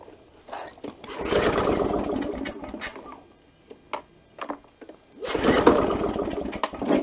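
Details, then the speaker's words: Victa Power Torque VE40 two-stroke mower after new starter O-ring, primed: two pull-starts each catch a second of ragged firing then die; O-ring not the cause, carburettor suspected, found clogged main jet. "won't start so that's not the problem so what do you think would be the problem is so why it would start so it stops right away so it must be the carburetor"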